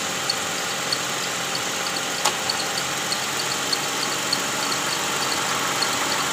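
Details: Toyota Camry V6 2GR 3500 cc at idle with AC on, which makes it louder; quick high chirps from the accessory belt area; worn tensioner bearing and weak tensioner spring, cured by replacing the tensioner and belt.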